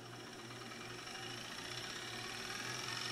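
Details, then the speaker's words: Fast, steady buzzing rattle during rewind on a Magnavox ZV427MG9-A DVD-VCR with the mechanism unmounted; the capstan motor is touching the circuit board, after replacing a shorted capacitor and transistor. "the sound you're hearing is cuz I don't have the mechanism mounted if it's mounted then it's gonna lift up just a little bit like that because the cat's head motor is actually touching the circuit board right now"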